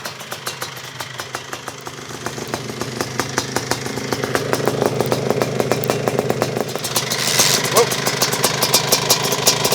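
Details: Suzuki QuadZilla LT500R two-stroke quad, carb swapped for a 40 mm Keihin, now easier to start: crisp, rapid popping at idle holding steady and even, rising slightly midway; idles cleanly and sounds healthy.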